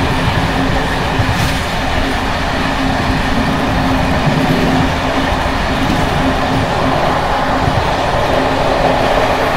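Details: Bd264 481 coach (built 1979), Görlitz V bogies long since last major overhaul, uneven line 190 between Hluboká nad Vltavou and Číčenice; constant track rumble with busy metallic chatter from slack bouncing brake rigging.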